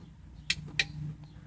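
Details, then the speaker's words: 2012 Polaris RZR 570 fuse panel relay gives two crisp, sharp clicks about a third of a second apart when power is applied, normal operation during a fuse panel and LED light bar install. "so that's that relay clicking as it gets power"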